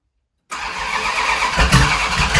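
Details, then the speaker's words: 1971 Dodge Charger Super Bee 383 Magnum on a cold start after a valley pan change for a suspected intake leak: catches and runs raggedly with loud exhaust pops and flames, no steady idle. Rough idle with backfiring; owner suspects coldness or timing again. "I hope this prick is just cold, because that ain't making no sense. Guys, I got sneaking suspicion I did not fix her, but it is cold out."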